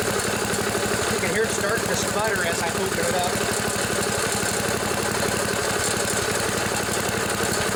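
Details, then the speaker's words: 1974 Sears Craftsman Rotospader rototiller, Tecumseh single-cylinder, new carburetor being tuned, air filter off: even fast idle with steady firing, no misses or surging; high speed set smooth. "that's pretty good right there but it's nice and and adjust smooth high speed now that one's set pretty good where it's at"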